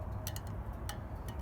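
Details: Car with vibration and rumbling when driving and braking, found sticking front brake caliper after 10-minute drive, rotor scored from overheating; sharp, irregular metallic ticks over low rumble as the overheated brake cools.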